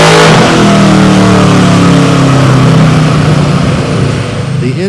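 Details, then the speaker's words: Warmed-up Malibu V8 on a chassis dyno, naturally aspirated full-throttle pull before nitrous, run to clean the plugs; climbs steadily under load, then turns ragged and stumbles near the top. Dyno air-fuel monitor showed it running lean. "The air fuel monitor on the dyno showed that the engine was lean, a problem we would have to deal with before we turn on the nitrous."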